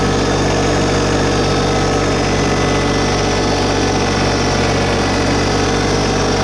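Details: New 2022 LS MT125 tractor with about half an hour on it, diesel at idle brought up a little with loader and mower deck raised. Steady even clatter, no misses or knocks; runs smoothly, normal.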